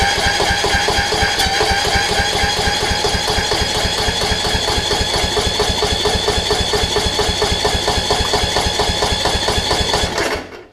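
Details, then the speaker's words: Toro Z5000 zero-turn, Kohler Courage, after quick carb bowl clean on the mower; fast even starter chug about ten seconds, never catches; crank no start, carburetor suspected, to be removed and cleaned. "darn i thought i could do a quick clean on it and be okay anyways uh i'll take the carb off and we'll give it a clean off of the mower"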